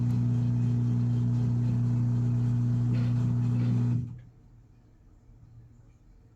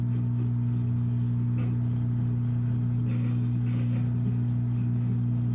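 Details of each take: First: Washing machine on spin cycle during repair: drain pump hums steadily for about four seconds, then quiet with no spin-up; drains but drum does not spin, and the cycle keeps resetting and starting over. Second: Washing machine on spin cycle: constant low steady-pitch hum of the drain pump pushing water out, which previously would not come on; drains normally though the drum still won't spin.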